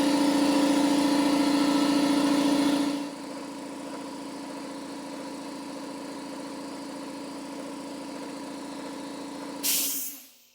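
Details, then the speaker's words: Free air compressor being repaired, running normally with a steady motor hum and a smooth pumping beat, settling quieter under load, then cutting off cleanly at about 142 psi, though rated to cut off at 135 psi. "Wow, that sucker goes up to like 142 psi before she kicks off. It says 135, but well, it is what it is."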